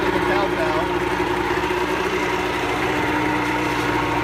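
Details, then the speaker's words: Pelin Nomad boat's two-stroke outboard on fast idle with lever forward; steady, even hum with no misfires or knocks, a pretty smooth normal runner; only a drip from the telltale. "Alright, so I'll just push that in, move the old lever forward, and we should be a bit of fast idle then, give it a crank. So she's a pretty smooth runner, as you can probably hear."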